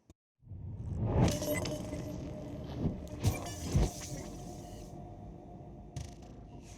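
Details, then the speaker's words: Wrecked BMW S1000RR rebuild, first start with the exhaust silencer taken out and a possibly flat battery: it catches after a short crank, then several sharp throttle blips with a loud open-exhaust bark, settling to idle. "fingers crossed this sounds awesome because we've taken that silencer out"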